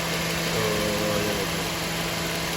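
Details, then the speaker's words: Toyota Corolla GLI after tappet work (fuel pump change also noted), at idle: a steady, even hum with no ticking or tapping, and a quiet valve train. A smooth, normal idle. "यह आप गाड़ी का sound सुने माशाल्लाह बिल्कुल VIP sound है गाड़ी का"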